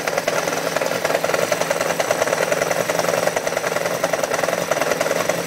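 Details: 1993 XJ600 motorcycle that also has an oil leak: uneven knocking, about three to four hits a second, over a rattly idle; knocking at idle, cause undetermined.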